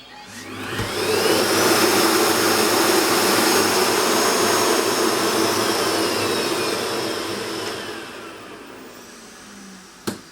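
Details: Vorwerk VK-140 Folletto vacuum switched reluctance motor after replacing the faulty driver: spins up to a steady high-pitched rush, holds smoothly, winds down; works normally.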